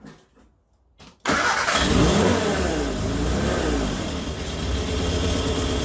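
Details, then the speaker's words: Morris Minor 1000 van with Judson supercharger, one-barrel carburettor, air filter fitted, good oil pressure: idle keeps rising and sagging, racing or cutting off, no steady speed; unstable idle, owner plans to adjust idle jet. "so having a hard time getting it to pick a constant speed seems to like either go crazy or cut off"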